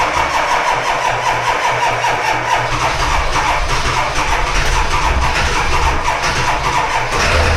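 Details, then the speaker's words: Diesel dually in 18°F cold, just caught after slow cranking: rough, uneven clatter; hard cold start, with the starter on its way out, only about three glow plugs working and flat batteries. "Well, there's three things this girl badly needs. Starter is on its way out. About three of the glow plugs work. And her batteries are shut."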